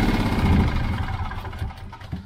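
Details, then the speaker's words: Petrol generator that began running rough and dying, after flooding; carboned spark plug (possibly running rich) reinstalled: uneven, lumpy running that wavers and sags; still not right, owner suspects a fuel problem; rough running engine. "no that's still not right so i'm thinking probably a fuel problem"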